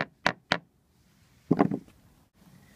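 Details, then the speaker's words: Over-20-year-old Swedish-built small yacht's teak deck, hammer-tap survey: crisp sharp taps on well-bonded sound teak, then duller, lower, hollow taps where a plank has lost adhesion to the underlying deck and will probably need lifting and rebonding. "so here you can hear the teak is sound and here the teak is"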